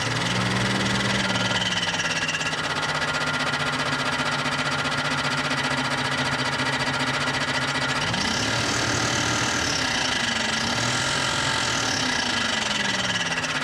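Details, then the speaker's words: Barn-find 1998 Jeep Cherokee XJ: hard fast knock, three to four a second, over the idle, shifting with revs; owner feared a shot engine or failing torque converter, but a dented bell housing cover is striking rotating parts. "i mean we can abuse the snot out over and see if the noise goes away what do i have to lose and at this point the engine's probably shot either that or the torque converter's falling apart"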